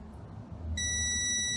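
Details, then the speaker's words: Multimeter in diode/continuity mode across fuse number 8 while repairing a PSOM module: single steady high beep lasting almost a second, fuse conducts and is good. "get you a voltmeter, put it on diode, and hit select until you see this little symbol right here, and then you can bring it across your fuse, and if it conducts, it will beep for you."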